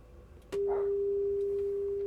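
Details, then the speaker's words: Harman Kardon PM665 amplifier under repair, signal checked at a transistor emitter; a clean, steady single tone comes up sharply and holds without distortion or dropout. Normal signal level at this stage, while the other channel distorts. "And if you go to the emitter, whoop, that's normal."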